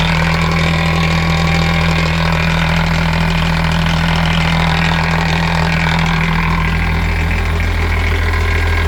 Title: Mercruiser Bravo 2 rattle noise